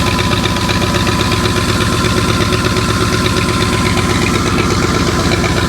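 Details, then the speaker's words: 1984 Ford 351 Windsor V8 from an F-150, stored about 23 years, running after a new distributor, power and plug wires; it started within one revolution. Quick, even exhaust pulses with no knocks or skips. Normal, healthy idle. "And she runs pretty darn good, seeing as how all we did was put a new distributor in it, hook up some power, plug wires, and she popped right over just like that."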